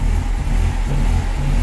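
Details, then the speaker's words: 1998 Mercedes SLK230 R170, M111 Kompressor, in limp mode with no throttle response: the low engine drone swells and sags about every half second. Idle hunts with the original ECU, which fails to communicate with the throttle body; a cloned exchange ECU fixed it. "As soon as I put the original ECU on the car, it starts hunting."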